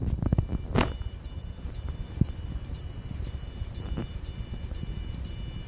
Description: TZ77XE4 mainboard(Made by BIOSTAR, Taiwan) has beeping since last thursday. I think my Intel CPU has some problem.